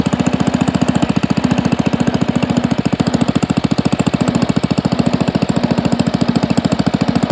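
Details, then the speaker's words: Pond lever-steer tractor, engine with new Champion D16 spark plug and borrowed starter, driving: regular clatter 3–4 times a second; pressure plate fingers pivot out when the clutch is pushed and hit the bell housing. "i see where that noise is coming from right here and here these fingers on this pressure plate when you put the clutch in it pushes the inside and these pivot and come out and it's just hitting the bell housing here"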